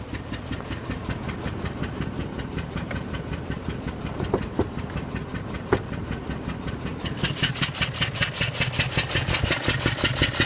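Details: 2003 Range Rover L322 4.4 on LPG, uneven idle with a ticking pulse near three per second growing harsher; misfire with code P1301 multiple misfire, plus bank 1 cam sensor and thermostat faults, cause not found.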